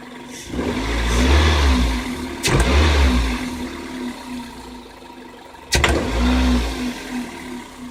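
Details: Metallic knock from engine area on sharp throttle: a single short metallic click each time revs jump; cause unclear. Denso iridium plugs at 26,000 km, Shell 0W-40 oil at 6,000 km; owner suspects bad AI-92 fuel or −53°C frost.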